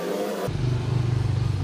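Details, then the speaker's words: Household water pump: low, heavy hum with a fast wobbling throb once the pump starts, loud enough to disturb neighbours; rusty bearing noise, likely from water leaking past a worn mechanical seal, fixed by replacing bearing and seal. "At saka, pag nagpapaandar ako ng makina, nakakaya sa aking kapitbahay. Yan, nakakaya ang ingay niya, no? Nagpapaandar ka lang ng water pump, pero nakaka-istorbo ka na sa kapitbahay mo."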